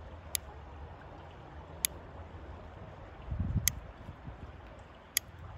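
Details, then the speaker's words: Bicycle seatpost, recorded while riding: four sharp dry creaks or ticks about every second and a half as the post flexes under load; caused by dirt and dust in the seat tube, fixed by cleaning. "Bu sese benziyor arkadaşlar çıtırtı sesi Tıkırtı sesi bu"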